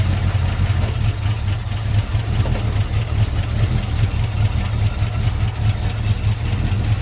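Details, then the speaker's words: 1971 Mercury Comet GT V8 with roller lifters and a small cam, backed off the trailer: rough chugging idle with uneven fast clacking through the valvetrain, down on power; suspected collapsed lifters or bad cam. "I think it has collapsed lifters, possibly a bad cam. It's not flat tappet, it's roller, but it's running bad, it's chugging, it's down on power, and it clacks really bad."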